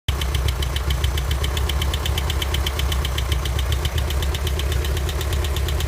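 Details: 1984 Volkswagen Vanagon engine idling: sharp even knock of about eight beats a second over a low steady idle, which started suddenly after running fine the day before; cause unknown.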